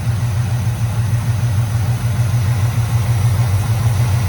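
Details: 1985 GM square body truck V8, revived after sitting 10+ years, warm idle: a deep, even rumble with no ticks, knocks or stumbles, smooth enough to almost balance a pencil on. A carburetor base gasket vacuum leak was found afterward.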